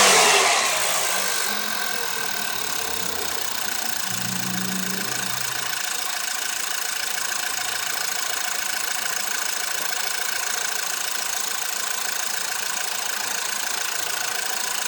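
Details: VW 1.8 TSI 160 PS (BZB engine), 70,000 km, 15,000 km oil intervals with Addinol 5W40, cold start: catches into fast idle with a light dry metallic rattle; owner suspects timing chain or tensioner, no fault codes, unconfirmed.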